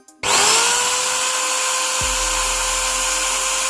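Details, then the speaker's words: Angle grinder: spins up to a high steady whine, then a low rough rubbing rattle joins underneath as the armature hits the field coil. "इसमें armature frill full अंदर से टकराने की आवाज आ रही है।"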